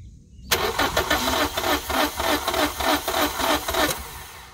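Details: 2005 Scion xB that sat a week, engine cold: even starter cranking about three turns a second for three seconds that never fires; crank, no start, with no fuel delivery; owner suspects the fuel pump replaced in January.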